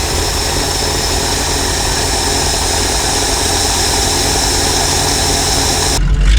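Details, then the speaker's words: 1968 Ford F600 feed truck V8 started for first time this year after throttle cable set; steady loping idle, even beat, no knocks or misses, though its carburetor has a gas leak. "Okay, truck's running. Nothing that sounds better than these old trucks."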